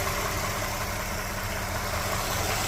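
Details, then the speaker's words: 2011 Toyota RAV4 V6 after replacing water pump, tensioner, idler pulley, radiator and hoses: warm idle about 12 minutes after refill, steady even hum; the earlier marbles-in-a-can water pump rattle is gone, though fans haven't come on yet. "I'm assuming that sounds relatively normal. I certainly don't hear the water pump, marbles in a can that I was hearing over here before."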